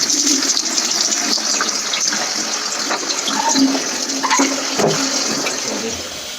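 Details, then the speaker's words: Sink test on a newly installed upstairs macerator toilet: the sink drains into the unit, which comes on and pumps it through with a steady water rush and a low, even pump hum without labouring; normal macerator pumping. "so it goes into the toilet and then it comes on and pumps it through"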